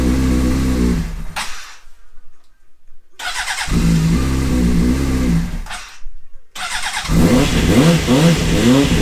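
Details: Honda CBR600 that stood 9 years with 7,000 miles, fuel tank likely contaminated, after a seized part that stopped it spinning was replaced. With choke on it cranks, catches after a couple of tries, then revs cleanly and evenly; runs healthy.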